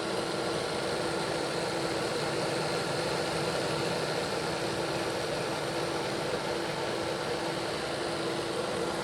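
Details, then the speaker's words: Bachmann Dash 9 model locomotive on stationary rollers after reseating motors on contact strips, speed steps 4 to 8: smooth, even motor hum with steady whir, no catching, ticking or grinding; rear and front blocks run healthy. "Sounds 100% better. Nope, everything's okay down here too. No issue."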